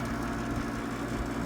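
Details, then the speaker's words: 1972 GE Slumberline 6000 BTU window air conditioner with GE rotary compressor and GE fan motor, newly installed, running on low speed and getting cold; smooth even low hum with steady fan rush, no knocks or rattles; normal running. "And this is from 1972. Seems to be running just fine."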